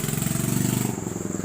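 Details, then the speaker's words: Hero Passion Pro bike that ran out of petrol, was refilled with about 1 litre and would not start until an air lock in the fuel feed was cleared: it fires with a rapid even single-cylinder beat that picks up, then eases back to idle, running normally. "अब देखते हैं, चाबी इतना कुछ करने के बाद bike start हो गई।"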